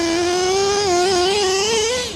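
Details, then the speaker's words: LST nitro RC truck, LRP .32 Spec 4 engine with rebuilt Hobao carb (still running lean) and Dynamite pipe: the buzzy engine climbs in pitch, then drops suddenly as the two-speed transmission shifts to second far too early; shift point can't be adjusted later. "Like, it shifted right there. Watch. Shift. Way too early."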